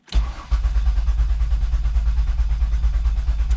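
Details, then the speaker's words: 2005 Mazda Tribute 3.0 V6 that ran rough with misfire codes and was towed in, cranked with the pedal floored. Even, steady cranking at about three beats a second with no uneven pulses. Normal cranking; compression sounds even. "And it does. It sounds perfectly fine. So compression wise, hopefully we're good there."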